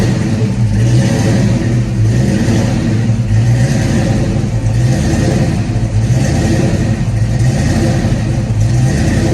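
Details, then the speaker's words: 1991 Ford Mustang GT hatchback V8 just after a cold start, following an ECU change: idle keeps rising and sagging every couple of seconds instead of settling; owner suspects the cold and an IAC still relearning, cause unconfirmed. "That's a pretty good idle surge right now, probably because it's cold. It has to relearn that IAC too, I think."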